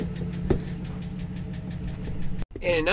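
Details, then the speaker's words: Pickup truck at cold idle: light quick ticking that goes away once the truck warms up; suspected lifter tick, not confirmed; engine tick on cold start. "y'all hear that tick in his truck it's that uh like lift or kick and it goes away once the truck warms up but you know it is what it is"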